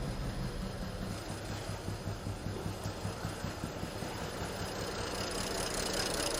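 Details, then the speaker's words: 2010 BMW 535i E61 wagon (automatic, AWD, auction car with a hard life) at idle after clearing misfire codes for cylinders 1 and 5. It is still very unhappy, stumbling, lumpy and shaking, with misfiring and barely idling. Low fuel level and circuit current violation codes are also logged. "see if it runs better oh it's still very unhappy probably won't even idle oh it's camming"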